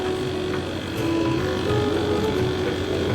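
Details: 1-ton AC unit after full gas recharge (compressor had run but not cooled, coil pipes not sweating); amperage checked OK, foam leak test on charging port shows no gas escaping: low, even hum with faint steady tone, no knocks or rattles, running normally.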